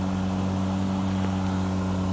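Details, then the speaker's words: Ego 21" self-propelled mower with a 56V 7.5Ah battery, before self-propel is engaged: a smooth, steady, quiet low hum with no knocking. The owner says self-propel mode adds a loud whirring that grows louder at higher speed settings. "my Ego self-propelled mower is running. It's pretty quiet, and I'll show that when"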